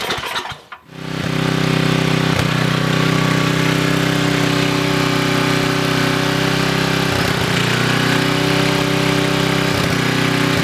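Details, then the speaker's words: Coleman Maxa 5000 ER 5000 W generator, no fuel leaks: a brief crank, then the engine catches and settles into a steady, even drone with no misses or hunting; ran about 5 minutes, healthy. "all right guys so as you can see here the generator did run I ran for about 5 minutes"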